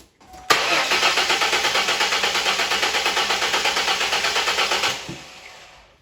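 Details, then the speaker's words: 2001 Mustang V6 base, cranking with plugs out for compression test: uneven pulses with one lighter stroke each cycle, demonstrating low compression in one cylinder. "so if you had a low compression in one cylinder that's what it would sound like"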